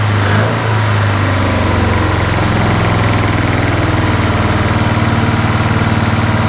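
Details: 1981 Toyota Hilux RN46 4x4 with 18R-C engine, freshly rescued, running off a hand-held fuel can: uneven lumpy idle around four pulses a second, stumbles and an early sharp backfire pop; owner guesses ignition timing slightly out.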